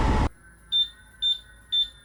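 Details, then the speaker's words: IQLight V2 on a Lynx electric unicycle: after a short noise burst, four thin high low-battery warning beeps about half a second apart, too quiet, the speaker likely buried inside; likely inaudible at high speed. "I could barely hear it when I was hitting low battery beeps, and if you're ripping high speed, then you probably just won't even hear it."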